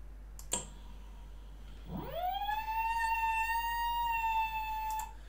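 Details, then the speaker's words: VESC controller on firmware 6.00 beta 40, silent HFI sensorless mode on an outrunner at low current: after a click a whistling tone sweeps up near 1 kHz and cuts off; inductance set too high, so sensorless tracking is lost. "no it's not working anymore and the same thing happens if you are too low in inductance"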